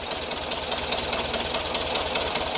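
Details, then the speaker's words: 1976 VW Westfalia Type 2 bus with a replacement used engine, freshly started. Even ticks about five per second over a smooth idle; believed to be hydraulic lifters pumping up, with a possible small exhaust leak. Ticking at idle. "Otherwise, it's lifter noise. But this isn't smoke, it's a little dust. I think it's a little lifter noise. Oh, they pump up. It's hydraulic lifters."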